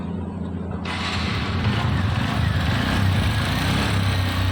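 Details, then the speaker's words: TVS Radeon motorcycle engine before tappet adjustment: it idles with a light, quick ticking over the exhaust thump, caused by loose tappets; valve clearance needs tightening. "टेपट लू इसके टपट loose हम टेपट tight करते हैं फिर देखते हैं sound क्या है क्या रहेगा क्या नहीं"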